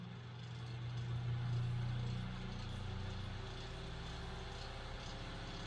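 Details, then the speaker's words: Vintage late-1940s–early-1950s Knapp Monarch Jack Frost 8-inch single-speed table fan: spins up to a low steady hum with rhythmic throb, vibration from out-of-alignment blades on this high-RPM fan. "the blades are a bit out of alignment and this is a pretty high RPM fan so it definitely throws it pretty well off balance so it's definitely makes a vibration noise"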